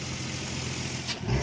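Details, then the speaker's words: BMW E36 328i naturally aspirated tuned engine on a dyno meet pull under load: drones unevenly, rougher and louder as it revs; lower than expected hp, airmass down over 30 kg/h, notch in load and torque curves; something wrong inside engine, cause unknown. "Something has clearly gone wrong in the engine. Especially when it sounds like this."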